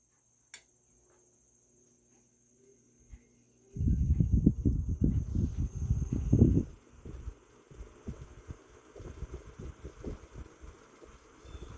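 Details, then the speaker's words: Vintage GE Vortalex 10-inch oscillating desk fan FM10V41, circa 1949–1950, started on low speed: irregular rapid clattering knocks about four a second for a few seconds, then fading to a very quiet run; owner suspects the gearbox. "sometimes likes to make that that noise I think that's actually the gearbox okay it went away very quiet on low speed"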